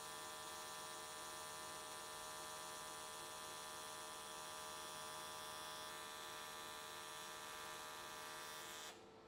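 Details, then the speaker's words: AC TIG welding aluminium S13 catch cans, vertical welds, after switching to square wave: even, steady high buzz at constant pitch, no crackling or wandering, stopping cleanly, arc definitely more stable than before. "okay it looks like everything came out really nicely the arc was definitely more stable"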